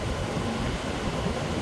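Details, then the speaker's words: Frigidaire 8000 BTU window air conditioner after deep clean removing mold and clogged fins: smooth, even rush of air from fans with no rattle, scrape or squeal, fans changing speed in auto mode; normal fan operation. "I can hear the fans that they're running different modes due to it's an auto."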